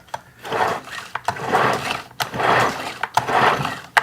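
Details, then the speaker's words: Stihl FS91R string trimmer, choke and run position: slow, hard, labored recoil pulls with dragging whir and no firing, head turning as rope pulled; clutch stuck engaged (possibly rusted from disuse), carburetor issue also suspected. "So I know we're dealing with a carburetor issue and we're also dealing with a clutch issue. For whatever reason, the clutch is engaged."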